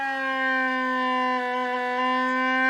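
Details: AWA R7077 beat frequency oscillator circa 1943, restored and back in its case, tested through a connected speaker; clean steady tone near 270 Hz with bright overtones, holding evenly; normal oscillator tone.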